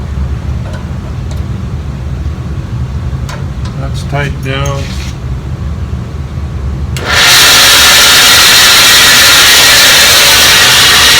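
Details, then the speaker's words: Craftsman 12-inch vertical bandsaw, quiet at first, then a loud, harsh, rough roar with a rattle once the blade spins up; the cause is a loose carriage bolt with a square nylon bushing stuck under the table. "i'm definitely gonna have to do something about that noise okay let's put the table on i found it it was stuck up underneath between this and the table so it's a carriage bolt with a nylon bushing square bushing drops down in like so"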